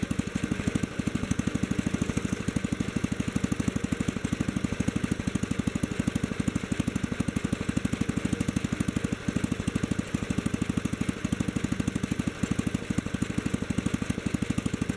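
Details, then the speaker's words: Kohler K-series K181 single-cylinder, new imported carburetor: steady lopey idle about three firing pulses a second, unchanged as idle mixture screw is turned; screw does nothing, owner suspects something wrong in the carburetor, though it always ran good. "yep i'd have to say that does absolutely nothing so there's got to be something wrong in that carburetor"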